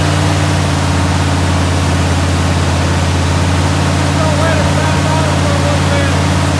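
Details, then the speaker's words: 396 big-block Chevelle started for the first time: smooth, constant low burble with even firing, no tapping, misses or grinding; a hose not yet tightened; sounds healthy. "oh hose ain't tightened down sounds pretty good though yeah it does sounds healthy man"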